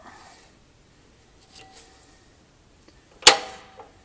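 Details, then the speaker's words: Petter A1 stationary engine, Wipac magneto, turned by hand to set timing: quiet turning then one sharp snap as the impulse coupling releases, which should happen at or just before top dead centre on the flywheel. "now what you need to do is to get the Magneto to click like it just did when it is at that top dead center Mark or very marginally before that top de Center mark that you would put on that flywheel"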